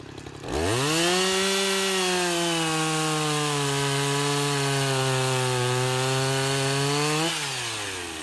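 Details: Husqvarna 353 chainsaw restored (gas line and chain drive repaired, carburetor just tuned), test cut: winds up cleanly, holds a smooth steady note through the cut without bogging, then drops back evenly; healthy.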